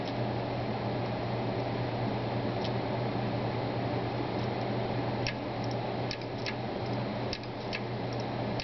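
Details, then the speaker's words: Brand-new Seagate Barracuda 1 TB hard drive: a steady hum with sharp, irregular clicks under one per second, busier toward the end. The drive is loud and doesn't sound normal; the cause is unknown. "But you really do get an indication of how loud this drive is, and it doesn't sound normal to me."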